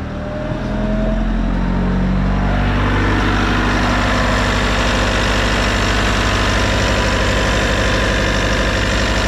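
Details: Bobcat T66 R-series track loader, Bosch fuel system, just after fuel and air filter replacement and priming: engine catches within two seconds into a steady, even diesel idle with no stumble or miss; runs healthy.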